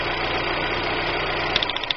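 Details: 1999 Daewoo Nubira idling rough and stumbling, then uneven sharp pops toward the end; dead-cylinder misfire checked via wire and coil, traced to cylinder head damage.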